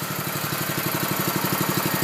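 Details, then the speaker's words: Honda-engined Billy Goat power rake dethatcher, started on choke then choke returned, cutting bar fully up: steady, even putter about ten beats a second, no misses or knocks, quiet enough to talk over; smooth normal idle. "You can hear that you can have a conversation over this level of idle."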